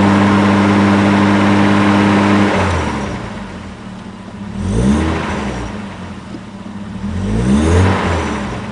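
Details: Toyota 1JZ-GTE in a Supra, swapped a week earlier, unknown miles, original oil pump: rough idle clatter, then two revs with a knock underneath; owner suspects a weak oil pump and low start-up oil pressure causing rod knock, unconfirmed.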